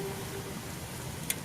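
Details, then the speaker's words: Parmak Solar Pak 6 solar electric fence energizer, about two weeks in use; faint hiss with one sharp high-pitched snap as the fence wire arcs to ground where built-up leaves touch it, not the whole charge lost. "it's grounding out somewhere on a leaf you can hear the little higher pitch sparked over here where the leaves are built up but that's not gonna be the whole charge going out"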